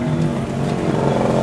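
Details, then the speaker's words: Honda GX160 engine after cleaning a water-filled, rusty carburetor: steady high-pitched drone that never drops to idle; the governor isn't pulling the throttle back, so it stays at high rpm. "But.....after it started, the gas didn't want to be small (stationary) It stayed big continuously"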